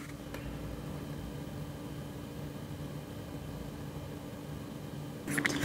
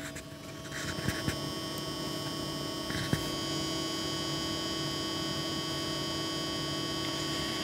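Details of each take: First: Antec Vortex 360 ARGB AIO liquid CPU cooler, fans at 50% speed on a Ryzen 5900: even soft whoosh with a faint steady hum, no rattle or ticking; normal, fairly quiet. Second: Antec Vortex 360mm AIO liquid CPU cooler, pump noise test: steady, thin high-pitched whine over a low hum with no speed change; annoying pump whine.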